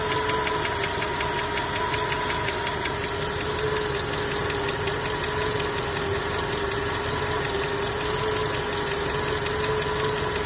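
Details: Skoda 1.6 BSF engine at a steady idle: a fast, light ticking knock rides over a constant hum. A knock is present, but its cause is not determined.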